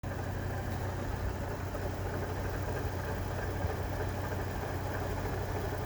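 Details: 2006 Chevrolet Trailblazer 4.2L I6 idling with a dull, muffled knock under the hum; worn water pump bearing, and replacing the water pump stopped the noise.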